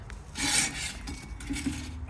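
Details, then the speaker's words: 2015 Nissan Sentra 1.8 automatic FWD, noise when moving: short rough metallic rasping and scraping bursts with faint clink from the rear drum brake; broken shoe spring pieces found inside the drum, wheel bearing also needed. "the noise seems like will were coming from the barer brakes"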